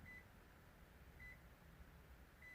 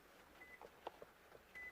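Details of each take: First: 2007 Toyota RAV4 with keyless entry and start, after poor connections in its plugs were found and fixed: four short, clear high beeps about 1.2 seconds apart at the driver's side as the key is detected normally. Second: Toyota RAV4 keyless entry and start fault, diagnostic test: two short, quiet high beeps over light clicks from the wireless buzzer, confirming immobilizer amplifier communication with the key succeeded; the other key gives no beep.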